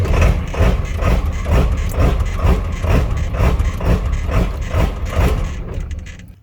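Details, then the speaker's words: Ford truck on a normal morning around 70 degrees: idle surges up and down about twice a second in an uneven lumpy rhythm; rough hunting idle, later addressed by installing a new part underneath the truck. "uh at the beginning of the video you've seen what my truck is doing uh it's uh the idol is just bananas there's different terms for it"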